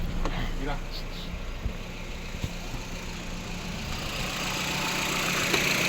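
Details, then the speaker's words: Vehicle with P0300 misfire codes on cylinders 2 and 4, after ignition coil replacement, idling in reverse and drive: smooth even idle with steady low hum and no stumble or shake; running clean. "Se siente muy bien. Ahí está. No tiembla absolutamente nada."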